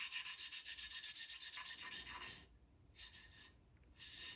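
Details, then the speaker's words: Triumph Spitfire cylinder head: rhythmic coarse rasp, about four strokes a second, fading into quieter short bursts as a valve is lapped with compound and beds into its seat; quieter sound signals it is good to go. "I could hear it you know, it sounds very coarse to begin, and then it slowly gets quieter and quieter, and you can tell that's pretty much when it should be good to go."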